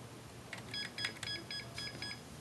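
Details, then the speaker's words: 2005 Maxtor hard drive in a Dell computer failed suddenly; at startup a string of short, high, evenly spaced BIOS beeps warns of the secondary master hard drive failure, prompting F1 to continue: POST beeps for hard drive error. "so we have a failed hard drive but it's not on the macbook the dell computer hard drive has eventually failed"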